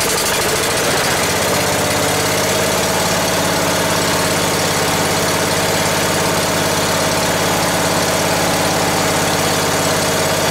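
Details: Ford garden tractor, sat long as a no-run, run with throttle raised after it seemed not to draw fuel through the main jet: catches and runs with a steady low chug but an uneven beat; owner suspects it is starving for fuel.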